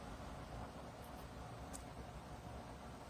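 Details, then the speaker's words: Dreo 42-inch tower fan at maximum speed, level 12: even, smooth rush of air with no whirr or bearing noise; the motor sounds healthy. "So at this speed you could hear it blowing blowing air and you could hear the uh the motors I mean the motor I should say spinning but at least to my hearing I I don't hear that slight worring or bearing noise that I did in the Pro."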